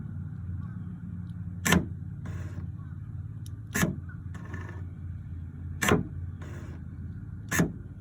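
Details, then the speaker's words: New replacement tailgate lock actuator for 2002 Honda CR-V, tested on bench before install: four crisp clunks about two seconds apart with short motor whir between; healthy actuator locking and unlocking cleanly. "so this is what the replacement actuator looks like and I want to show you how this part here locks and unlocks the door"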